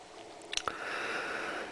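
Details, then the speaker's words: Scott PS 97XV turntable automatic tone arm on reject: a couple of mechanical clicks, then a thin, steady rubbery squeal as the arm cycles; something rubber is rubbing in the return mechanism. "now let me try reject and well if you can hear that but there is definitely a rubber rubbing sound"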